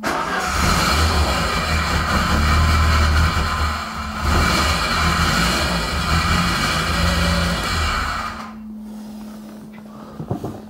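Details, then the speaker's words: Peugeot 205 GTI engine first restarted after rebuild from scratch: rough metallic rattle growing as revs rise, then dropping back at idle, louder under throttle so tied to engine speed, something rotating suspected; possibly a loose heat shield. "j'ai un problème quand on fait tourner le moteur j'ai un bruit de ferraille je vais dire euh je le voyais par là euh quand j'accélère j'ai plus de bruit quand j'accélère pas j'ai un peu moins de bruit donc forcément c'est avec le régime moteur"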